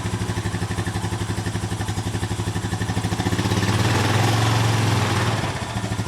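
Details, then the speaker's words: 2007 Honda four-wheeler ATV revived after sitting, about five to six hours of work: an even, pulsing idle of about four beats a second that rises cleanly on throttle and drops back smoothly. It sounds healthy. "oh yeah listen to that [Applause] sounding good boy got a smile on his face now he's been working on for about five or six hours now but it will run"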